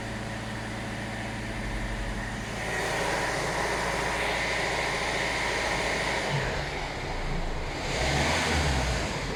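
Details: Hyundai i40 CRDi diesel with power loss and high fuel consumption: steady faint airy hiss over the running engine, rising a little with revs; owner suspects a vacuum leak.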